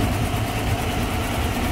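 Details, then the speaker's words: 2015 GMC Silverado, towed in for stalling and running terrible, on first start: the idle lumps and stumbles unevenly with an irregular low thud, more than just a misfire; it died on the way into the shop. "that's not good that is not just a misfire either holy crap"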